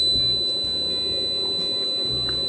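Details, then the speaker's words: Sharp PC-1251 pocket computer on its CE-125 tape/printer base, saving a test program to cassette with remote on: a steady, pure high-pitched leader tone holds evenly without wavering or dropouts, a normal save. "So that'll be the long uh leading tone."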